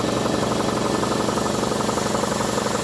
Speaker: It does. I can hear it building pressure already.